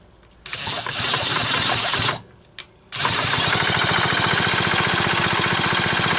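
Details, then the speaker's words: Homelite Super XL chainsaw pulling over very rough at TDC, starter removed, engine turned over at about three to four pulses a second with a harsh, uneven rasp each stroke; rough crankshaft bearing, broken roller bearing cage later found. "God, that bearing sounds rough."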